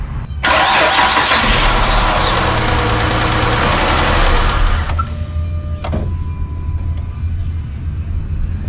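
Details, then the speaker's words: Chrysler 300 after PCM replacement for a misfire (injector circuit stuck on): cranks, catches, runs without the miss for seconds, then dies on its own with security light blinking. "Well, you know what's crazy is it is running better when it is running, but then it shuts off automatically."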